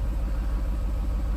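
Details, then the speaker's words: 2018 Jaguar F-Type R (X152), auction rebuild project, exhaust setting changed so active exhaust valves opened: deep steady burbling idle with slight lumpy pulse, nothing mechanical on top; engine healthy. "I heard the valves open."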